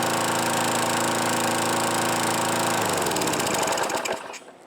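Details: Craftsman Eager 1 mower, model 917.383241, engine with cylinder facing the user, discarded and oily, only hardware tightened and new filter assembly fitted: crisp, steady high-speed buzz with no misfires, smooth wind-down at shutoff; runs fine, nothing found wrong.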